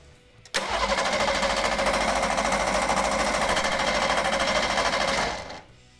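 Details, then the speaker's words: Ford Taurus SHO cranking about five seconds, fast even bright tinny metallic chatter from a loose muffler at the back; transmission broken, starter possibly grinding at end of cranking. "I think it sounds worse inside than it does out here what you're hearing in the back is the muffler rattling"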